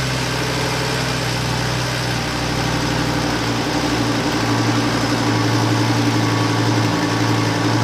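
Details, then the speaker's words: Fire-damaged Lamborghini Gallardo LP520 being restored, first starts after injector leak fix, connector repair and new battery, on booster: deep, loud lumpy idle that wavers and never settles; rough running, owner suspects uncalibrated throttle body, cause unconfirmed. "We've started the car several times now and it runs slightly better each time."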